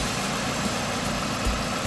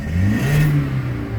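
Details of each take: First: Car that idles rough/stalls with AC on, AC on but blowing warm, hesitating on rev: uneven, lumpy low idle thrum with occasional stumbles, engine visibly vibrating; cause not yet confirmed. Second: Car with rough idle/stall when AC on, misfire counters checked on scanner showing zero: quick rev rising and falling smoothly, even exhaust note, no stumbles or pops; no misfire.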